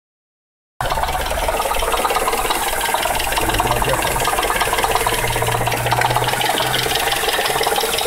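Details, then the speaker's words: 1996 Oldsmobile Aurora V8 petrol at idle: fast uneven rattling knock through the engine note, present only at idle and gone when revved; owner suspected belt tension but doubts it. "that's the noise i don't understand it's only at idle but if you rev it up it goes right away"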